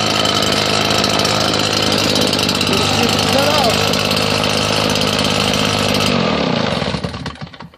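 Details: Husqvarna 580BTS backpack blower after repairing throttle-assembly kill switch wires, test run: steady high-pitched two-stroke roar, no surging, then dies cleanly when switched off; previously would not cut off, now fixed.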